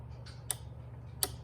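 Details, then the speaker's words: Relay board kit for drag racing, extra circuit fed a 12 volt signal such as a trans brake button: two crisp clicks about three-quarters of a second apart over quiet hum; relay switching the circuit on and off normally. "can hear that. It's turning on and off that circuit, okay?"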